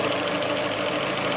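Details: 1985 Iltis, warmed up, oil pressure high, temperature good, voltmeter 24 V, possible small oil leak at the front: steady, even mid-pitched idle hum with no knocks or misses; normal warm idle.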